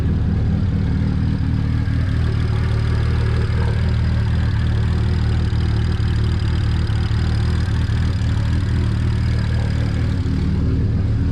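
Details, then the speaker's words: Big single-turbo BMW 335i just started after repeated attempts on a weak battery, fluids warming: steady low idle with slightly uneven loping beat about four pulses a second, no knocks; slight lope, cause uncertain. "to be running pretty good it's got like a little bit of a loop to it"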